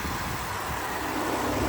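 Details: Salvage-auction vehicle with a 550 V8 that started right up despite deployed airbags, a lit traction control light and a battery popped out of place: an even idle with a smooth low rumble under fan rush, no knocks or misses, healthy.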